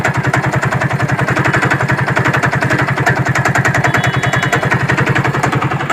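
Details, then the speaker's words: Hero Glamour motorcycle, engine rebuilt two years earlier and fine until worked on by another mechanic: loud, steady knocking at 3–4 beats a second over a rough single-cylinder idle, with heavy smoke. The internal cause is unconfirmed. "और ये काफ़ी ज़्यादा धुआं भी मार रही है, ठीक है, और इंजन से काफ़ी ज़्यादा खट खट की साउंड कर रही है।"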